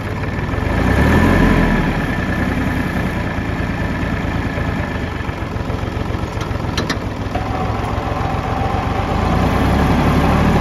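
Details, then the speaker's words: 2015 Kubota L3301 tractor diesel, manual transmission, 500 hours, debris in fuel tank blocking fuel line caused stalling: deep, even chug at three to four beats a second; normal idle after restart, though it later lost power and died again. "all right finally cranking everybody uh finally started up"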